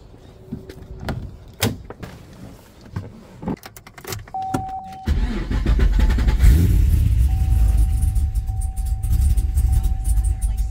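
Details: Gen 1 Cadillac CTS-V V8, started after sitting about two years; cranks, catches and settles into a low, uneven, lumpy idle, running rough while cold.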